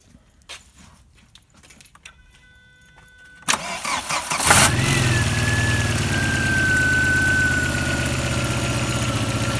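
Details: Audi A3 whose knocking was traced to an untightened flywheel after a sloppy reassembly, about 430 on the odometer: after the fix, quiet at first, then it cranks, catches and settles into a steady idle without knocking. Normal idle.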